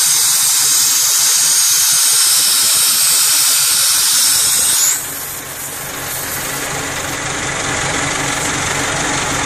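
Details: Mercedes truck 6-way pneumatic valve being rechecked with the engine running to supply compressed air at about 6–6.5 bar, feeding clutch, accessory and parking-brake lines: loud steady hiss of escaping air that drops and settles as the outlet opens; normal air discharge.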